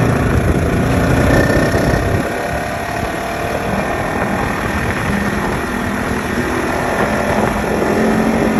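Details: 2015 Polaris RZR XP4 1000 with Packard turbo and Boondocker clutch whines on deceleration, with the pitch changing as speed drops; the whine persists after a belt replacement and sheave cleaning, source undetermined.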